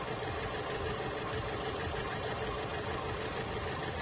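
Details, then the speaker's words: Holden Cruze at idle with a dead misfire, engine visibly shaky: uneven, loping stumble about twice a second as one cylinder drops out; scope diagnosis points to a failed ignition coil pack. "we've got a Holden Cruze in the shop today came Molina with a engine misfire you can hear it you can feel it it's a dead miss"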